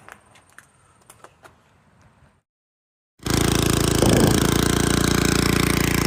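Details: 1986 Troy-Bilt Horse 2412 rear-tine tiller after tine/PTO re-grease and transmission fluid fill: a few light clicks, then the small engine runs loud and even with a steady beat and no knocks or misses; healthy.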